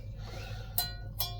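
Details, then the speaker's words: Yamaha Virago rear wheel, just refitted for the first time in years, spun by hand gives two sharp metallic rings; the wheel is snagging, with a slightly bent part rubbing around its outside. "What are you binding on? What are you metally noising on? What's going on? It sounds like that when it's ringing."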